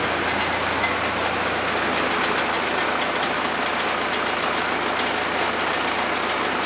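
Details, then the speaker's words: Cummins 4BT diesel in a 1968 Bronco, first start in a long time after topping off oil, water and fuel; was running rough (owner hoped air in fuel system, bled lines), now loud, clattery but even idle with steady rhythm, no stumbles; normal running. "Oh boy, she's noisy. She is noisy. All right, we'll let it sit for a little bit."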